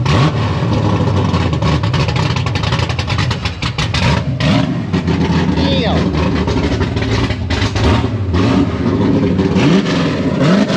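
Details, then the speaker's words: Fox body Mustang with a 408 Windsor stroker, 12.5:1 compression and a solid roller cam, at its first fire on a hot day; deep, lumpy V8 bark that climbs cleanly with each blip and settles back. Normal running and revving. "Woo! You can't ever say my car is loud again. Like ever."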